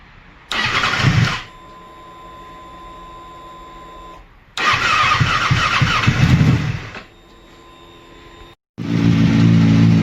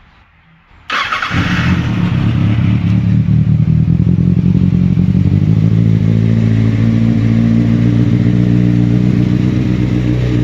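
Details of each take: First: 2007 Kawasaki Ninja ZX6R after a new coil pack and spark plugs: two long cranks without catching, then it fires into a rough idle with throttle held. Hard starting, possibly from sitting or the new plugs. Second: 2007 Kawasaki Ninja ZX6R after coil pack replacement, cold start with no throttle: starts instantly and settles into a smooth, even idle with no misfire. It had previously run on three cylinders and lacked power.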